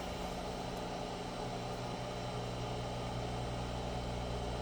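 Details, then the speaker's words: Cerwin-Vega XLS-215 speakers on a Sinbosen K4-1000 amp with an Onkyo unit: constant low, steady hum with faint buzzing hiss; a device bought to stop the buzz didn't help, owner suspects poorly shielded RCA cables or the Onkyo. "if anybody has the uh suggestions on this you know if you can hear them buzzing I bought this thing here to get rid of that buzzing that doesn't work"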